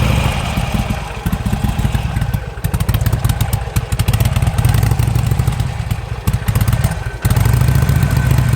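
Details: 2007 Harley-Davidson Sportster, suddenly lost 90% power, fuel pump keeps running; spark plugs replaced and fresh gas tried: lumpy V-twin with clattering misses, backfires and dips near stalling under throttle; cause unclear.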